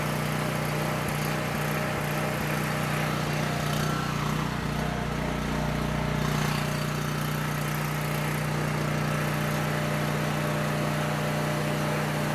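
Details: Coleman Powermate 6560 generator, after the fix for running only on choke (carburetor gaskets had been in the wrong order; oil was overfull and smelled of gas), running: steady, even drone and firm low hum, no hunting or surging; normal running.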